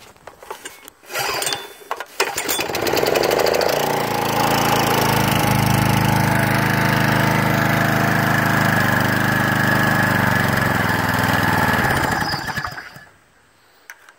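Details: Machine after carb cleaning, started on choke with primer pushed, belts not engaged: a few pulls, then a steady, even buzzing run for about eight seconds before stopping; runs healthy.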